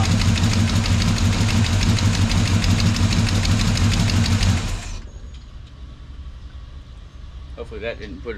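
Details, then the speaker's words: Chevrolet Monte Carlo engine, hot, idling: steady light ticking about three a second until shut off; valve train tapping from a knock on a lobe, adjusted to quiet it. "well you had a little uh knock in here on a lobe oh yeah that'll cause a problem so there's where the noise was coming from"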